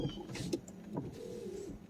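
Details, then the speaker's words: 1992 Mercedes 500SEL rear power window: motor whine wavering in pitch with knocks as the glass jumps violently in its travel, and auto up/down won't resync; window regulators are likely worn out. "whoa well that one jumps violently the real glass you see that that's not normal"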